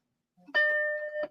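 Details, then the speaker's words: Apple Macintosh 128K received by mail, first power-up: single clean steady beep about two-thirds of a second, normal startup chime; logic board judged fine, though screen shows a line and analog board likely needs work. "Hey, we got Good. a beep. We got a beep. We got a beepity beep."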